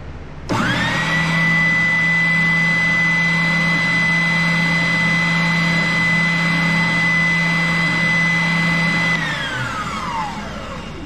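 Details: New oscillating spindle sander on its first run on a roll-around stand; motor spins up to a steady high whine with an even hum, holds smooth for eight seconds, winds down cleanly; healthy running.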